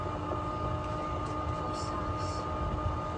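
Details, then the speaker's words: New Bosch IDS 2.0 central AC condensate pump, plugged back in after its drain line was blown out to clear a kink and a copper piece: constant low hum with a faint steady whine, no rattle or surging, pumping water outside normally. "so it pumps away the water right so it's pumping the water outside through that hose right there and see it kicked up again"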